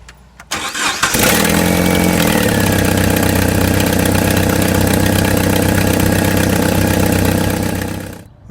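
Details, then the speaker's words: 2001 Jeep Wrangler TJ 2.5L after resealing a gasket: engine cranks, catches and idles with a quick, steady puffing tick over the exhaust; leak only partly fixed, lower exhaust manifold bolts found loose; exhaust manifold leak. "what I noticed is when we went ahead and started it this did solve it a little bit but there's still a leak coming out and I noticed that the lower bolts on the exhaust manifold are loose"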